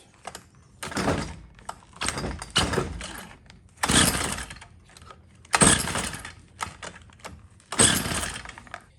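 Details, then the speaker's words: Stihl FS45 trimmer (would die after about 15 minutes, then not restart; no fuel reaching bulb), after carburetor replacement: about seven rough recoil pulls with no firing; no start because the on-off switch was left off. "Well, it wouldn't start because the on-off switch was in the on or off position."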